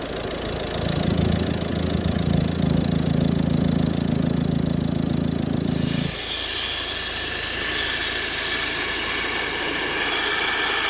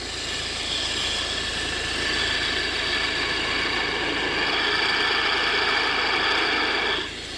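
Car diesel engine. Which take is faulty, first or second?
second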